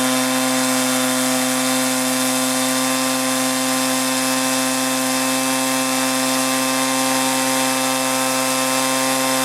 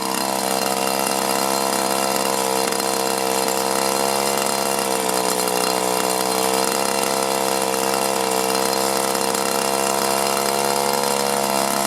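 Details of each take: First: 1983 Echo PB400E two-cycle blower, warmed up and throttled up: steady high-pitched scream, even at full throttle, no bogging or surging; normal running at high throttle. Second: 1983 Echo PB400E two-stroke blower, carburetor never adjusted and fuel filter likely never changed, briefly warmed after two weeks unused; at full throttle the pitch sags and recovers in slow waves, bogging and surging, one of two suspected causes.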